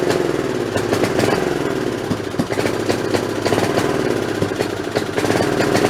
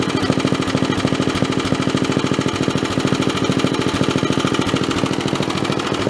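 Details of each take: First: Snapper 3081 riding mower single-cylinder, throttle up in neutral with spark plug borrowed from snowblower: uneven stumbling beat, misses and backfires about every second; owner suspects failing magneto/coil. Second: Snapper 3081 mower single-cylinder engine, still hot after mowing, running after original spark plug refitted: steady even thump at fast idle, smoky, no misses or knocks; running normally.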